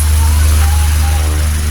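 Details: Old-model Nikon industrial electric fan after repair (1.5 capacitor, switch checked), switched through speeds with swing on: steady deep motor hum with even airflow whoosh, no rubbing or rattle; runs smoothly, normal.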